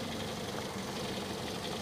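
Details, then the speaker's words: 2006 Toyota Yaris S, 1.5 L 1NZ-FE petrol, 4-speed automatic, at idle: even hum with a steady low note and no valve ticking, bearing knock, or bad alternator bearing noise; sounds healthy. "halus standar normal dari dalam mesin ini tidak ada suara klep kemudian metal jalan metal duduk juga belum ada suara"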